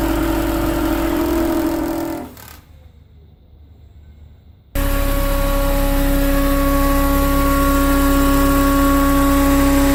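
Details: BMW Mini Cooper R53 with refitted supercharger: steady whirring tone constant over the engine at all revs, persisting 12 months; supercharger starved of oil by a collapsed oil tube from the rocker cover, found and fixed.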